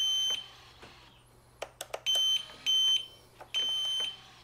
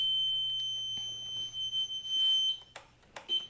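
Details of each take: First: Piaggio MP3 400 after repair of suspension-lock warning beeping: ignition on, crisp clicks with short high beeps in even groups for each lock/unlock cycle; suspension locks solidly, working properly. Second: Piaggio MP3 400 scooter: a steady high-pitched beep holds, breaks off briefly, then sounds again while the suspension lock warning light stays lit; suspension lock fault warning.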